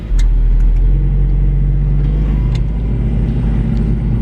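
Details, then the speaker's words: 1991 Mazda Miata, hot from sitting in direct sun, idling high at about 1700 rpm with the AC on; steady, even low four-cylinder hum with no misses. Broken alternator tensioner bracket only partly fixed, charge light still faintly on. "all right so with the ac on we're idling at like i mean what is that like 1700"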